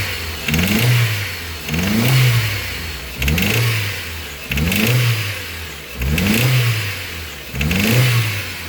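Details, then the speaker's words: Ford Zetec RoCam engine revved in the shop after the customer reported sudden loud noise on a drive, no oil light: loud knocking clatter rising with each throttle blip over a rough engine, sounding like a rod but traced to a cylinder head fault. "olha o barulho que ele tá fazendo o cliente falou que foi dar uma volta o barulho Tá muito alto"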